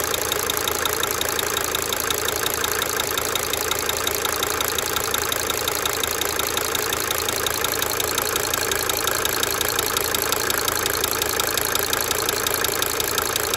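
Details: 1992 Mercedes-Benz 300D 2.5 turbo diesel idling for several minutes, brief talking at start; a sharp, fairly regular ticking near three per second rides over the clatter, fading in and out: cyclic injector ticking.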